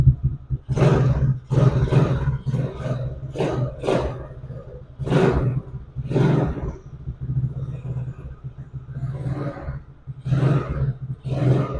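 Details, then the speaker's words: 110cc Chinese ATV single-cylinder after the intermittent-spark repair. Low, steady idle with sharp throttle blips that pick up cleanly and settle back; runs normally. "So this how it looks finally. High starts and works."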